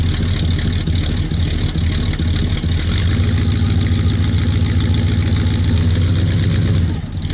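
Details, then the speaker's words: 1964 Buick Skylark after sitting about 6 months, started cold in colder weather with electric fuel pump: loud, slightly loping cold idle with fairly even beat, running a little rich while warming up. "a little rich. Clear all that out when it's warmed up."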